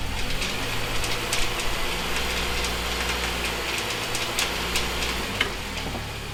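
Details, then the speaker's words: MINI R50 One at idle: loose irregular metallic rattle from the transmission area with the clutch pedal up, stopping when the clutch is pressed; clutch or gearbox suspected, unconfirmed, before gearbox and clutch removal. "so this is the rattle that can be heard from the transmission area with the clutch pedal up with the clutch pedal to press the rattling stops"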